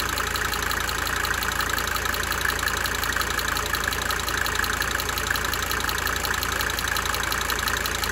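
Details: 1992 Mercedes-Benz 300D 2.5 turbo diesel idling for several minutes, brief talking at start; light, sharp ticking roughly three per second over the steady idle, coming and going: cyclic injector ticking.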